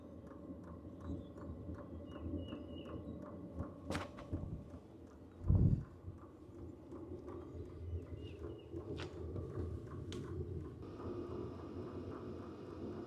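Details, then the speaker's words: H-Calory diesel heater with a replacement WAYSKA dosing pump, priming with the shell off. Soft, even ticks about two a second under the fan hum, much quieter than the original pump; the fans are louder than the clicking. Normal. "You are hearing a clicking noise, but it is a lot quieter than the original. And keep in mind, the shell is not even on yet."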